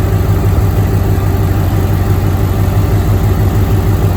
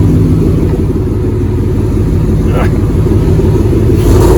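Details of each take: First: 2007 Mustang GT with swapped-in Coyote V8, first start after swap with no control pack, about 104°F outside: deep, even idle with steady hum and no stumble with A/C on; fan went full, compressor engaged, cold air as before swap; normal. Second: 2007 Mustang GT with freshly swapped Coyote V8, no control pack, first start, fuel pressure holding 55: revs climb strongly then sag and falter before recovering; stumbling under hard throttle, cause not yet known.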